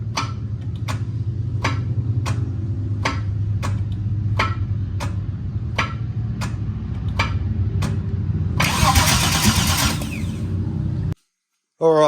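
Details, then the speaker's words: 1984 Holden VK Vacationer wagon with a new starter: sharp heavy clunks about every two-thirds of a second over the cranking drone, then it fires; owner suspects something loose in the torque converter or flywheel. "when it cranks over now it does make a big clunk and it doesn't sound like your normal clunk when the starter is throwing out but it's not you know spinning the flywheel it sounds like something's loose"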